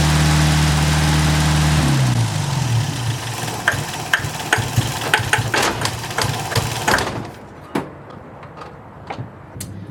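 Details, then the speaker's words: Classic project car with idle adjustment screws backed all the way out still idling fast, then winding down; owner suspects vacuum leak at the throttle shafts. "I have the idle adjustment screws backed all the way out, and it's idling"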